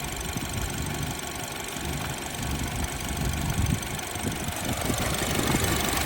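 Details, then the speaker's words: BMW F30 328i idling with a rough, uneven low thump and irregular stumbles, a slight misfire heard toward the rear. Unplugging coils one, two, three and four each made it run worse, so all cylinders are firing. Oil smoke was seen, and the cause is not pinned down. "it's misfying a little bit yeah I hear it in the back"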